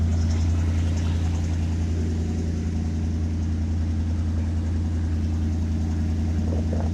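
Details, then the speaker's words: 1967 Ford 350 straight truck, started for the first time in a couple of months: low, even idle with a smooth regular beat, no tapping or stumbling; normal idle. "Good to hear this old truck purr again."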